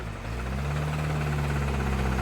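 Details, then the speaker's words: BMW 335i, low miles, sold as having rod knock: steady low engine drone with a faint even knock, actually a broken AC compressor pulley smacking, not rod knock. Accessory pulley knock. "it never had rob knox what was it the ac compressor pulley broke that's what was knocking it was just smacking whatever"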